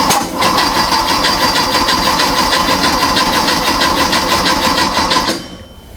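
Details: A freshly built VW/Porsche Type 4 flat-four on a test stand, after restoring power to the coil: steady cranking at about three beats a second for five seconds, with no firing. Still won't start; timing suspected 180° off, not yet confirmed.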